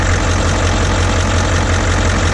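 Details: Boat port diesel engine, at or just above 40 psi: steady idle with a dull, regular knock; possibly a very bad problem, cause unknown.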